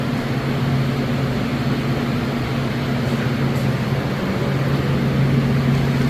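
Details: Steady low hum with constant pitch, no rubbing, rattling or warble: the fan of a Royal double convection oven in an 8.5' x 44' concession trailer running normally.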